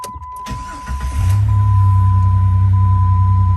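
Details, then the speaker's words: Jeep WJ 4.0 after throttle body shaft air-leak repair with an A012 O-ring, post-cat exhaust replacement and P0171 troubleshooting: quick crank, then an immediate catch into a strong, steady, even, throaty idle with no hunting or misses. Check engine light went off. "sounds good and engine light did go off give this a second to to run for a few minutes you can hear it got a good actually it's got a really good nice throaty sound really strong"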